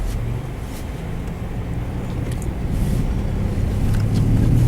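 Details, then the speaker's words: 2001 Pontiac Bonneville test drive after wheel work: smooth, even road hum with no growl building with speed, quiet in the cabin. The previous day it growled and took half a mile to reach speed; the hope was that it was a wheel bearing, not the transmission. "so it's quiet in here you hear they Russia now you know the difference huh"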